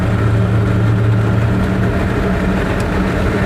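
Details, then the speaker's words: Invacar (TWC 725K) on test drive after oil check: heavy droning growl with steady low tonal hum; suspected differential, whose fluid was very silvery, while gearbox fluid fine; louder than another Invacar. "Yeah, we're increasingly worried about the differential. Because having driven the other Invacar, it is so much quieter, it doesn't make any of this transmission noise."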